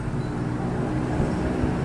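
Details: Euro motorcycle small engine with hard starting, converted to 4-pin CDI: rapid, choppy knocking that mimics a bad connecting rod, actually caused by the flywheel striking the stator from loose magneto bolts.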